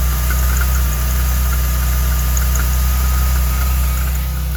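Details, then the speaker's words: 1989 Chevrolet Celebrity, 205,000 miles, next-day cold start: high idle now comes down much better, but light irregular ticks and chirps from the belt drive; tensioner suspected, belt and bypass pulley alignment questioned. "Hey, look at Hey. Much better. I think the tensioner is making some noise."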